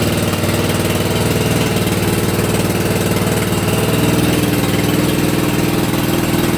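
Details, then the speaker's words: Hayter Heritage ride-on tractor mower, stored unused about eight years, first start on choke: catches straight away and settles into an even thump about four beats a second; key would not shut it off. Normal cold start on choke. "so fire straight up fantastic wouldn't turn off on the key"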